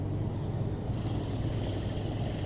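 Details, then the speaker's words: 2003 Chevrolet Silverado 2WD, front wheel jacked up and spun: smooth even whirr with faint brake pad brush, no rumble; a little pad grinding is normal, hub sounds fine. "so like I said a little bit of grinding on the brake pad section it's normal"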